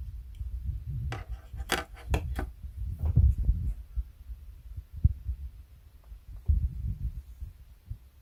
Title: Synology DS115 clicking sound defect Audio boosted